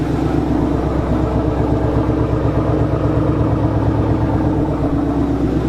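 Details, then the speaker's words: Freshly rebuilt engine after driver- and passenger-side fix: steady, even V8 idle with smooth low burble, no more ticking; runs quiet and healthy. "but as you can hear it is nice and quiet Hing like a kitten no more Ticky Ticky sounds"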